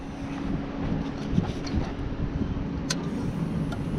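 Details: Toyota Land Cruiser that sat with varnished fuel, after the seized electric fuel pump was freed with brake cleaner and tapping: at key-on a steady low hum under the outdoor rumble for several seconds, the pump priming normally.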